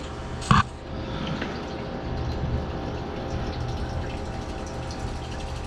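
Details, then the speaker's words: Electric fuel pump pumping fuel out of a nearly empty tank on a Skylark being stripped: smooth continuous low hum with a faint steady whine, no rattle yet. "still pumping away should start to hear it in that tank here in a minute"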